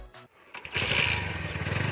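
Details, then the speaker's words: TVS Apache RTR 160 4V after a silencer repair with holes and a support fitted, curing a popping exhaust sound. The engine catches and holds an even, firm beat; the exhaust sounds clear, with no rasp or leak. "Silencer की आवाज तो आ रही है एकदम clear आवाज आ रही है कोई दिक्कत नहीं है"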